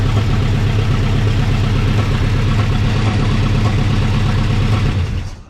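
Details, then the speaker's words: 1960 Pontiac Ventura with a 389 2-barrel and automatic, parked 24 years, revived with no parts changed: after a missing cylinder was addressed, a steady low idle on all cylinders with a mild uneven lope; slight rough idle. "still got a little bit bit of a bbal but not bad we can deal with that"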